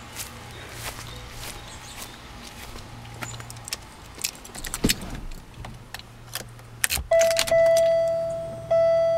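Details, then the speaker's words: 1998 Buick LeSabre cold start: keys rattle, brief crank, engine catches with a flare and settles into high cold idle over steady chime; owner notes earlier rough, varying idle and stalling; normal cold start. "engine's a little bit cold so that's why it started like that"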